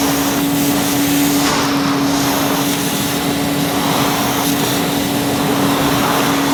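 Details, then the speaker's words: 1977 Hoover 427 cylinder vacuum cleaner, near mint, no internal dust bag fitted, pushed over carpet; steady mid-pitched motor hum over rushing air with faint swish; normal running. "Revel in the Retro sound and smells obviously you can hear the cleaner you can't smell it we haven't got that technology yet"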